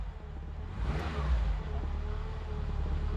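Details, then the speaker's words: Renault 19 GTS Chamade 1.4 Energy, choke pulled fully out, running with no coolant in it: quiet, low note that picks up in one brief clean rev and settles smoothly, no misfire or stumble; revs cleanly. "oh wow is that her taking over that it choke oh man she revs lovely and clean now"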